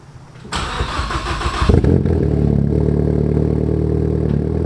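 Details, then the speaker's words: Ford Focus ST after a track day with a boost problem, first start in about two weeks: short crank, catches, settles to a lumpy uneven idle that never steadies; poor idle and low-speed running, cause unknown to owner. "Well, as I'm about to show you guys, the car does not really like to drive very well at a low speed or idle very well."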